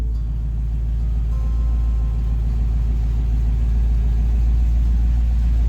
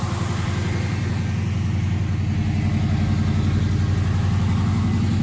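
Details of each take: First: Chevy Nova V8 on newly installed Holley Sniper EFI after fuel leak found, idle adjusted down: TPS 0, IAC 2–10%, 850 rpm; deep even burble with no hunting or stumbling, sounds good. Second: Chevy Nova V8 on newly installed Holley Sniper EFI, after fixing a leaking fuel line splice: steady even idle with regular low pulse but sitting faster than it should; idle running high, cause unknown.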